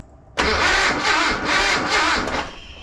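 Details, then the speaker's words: Datsun 720 King Cab 4x4, sitting about 20 years, cranked with a brand-new coil: the starter turns the engine in steady, even pulses for about two seconds but it never catches; no-start from no spark. "It feels extremely weird because that's a brand new coil with the same setup and we're still not getting spark."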